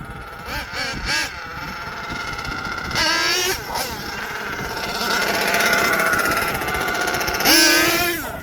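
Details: HPI Savage XL twin nitro truck with Twinzilla kit: two small engines scream and rise unevenly, one surging high before the other catches up; motor 2 out of sync, unmatched RPMs, before linkage setting and tuning.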